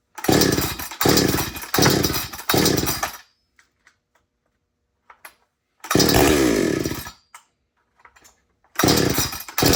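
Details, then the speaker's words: Chainsaw started and blipped in short revving bursts with quiet gaps, each rev climbing cleanly; normal running. "But this one still starts. I'll start it up real quick."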